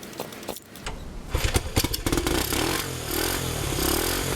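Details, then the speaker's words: 1971 Honda CT90, which the seller never had running and said had low compression, is kick-started after repair work, with the exhaust mounted only at the engine. It catches and settles into a steady, even putter with no valve ticking: normal idle. "I'm tired of kicking that thing but man that sounds good so that sounded pretty good that was a lot of fun getting it running and listening to it"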